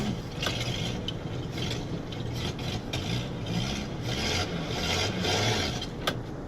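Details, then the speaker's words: 1952 Ford F-6 tanker truck, long left sitting, being driven out of the weeds: harsh scraping grind over a low rumbling idle as it struggles to go into gear; transmission problem suspected, not confirmed. "Sounds like something with the transmission. Doesn't want to go into gear."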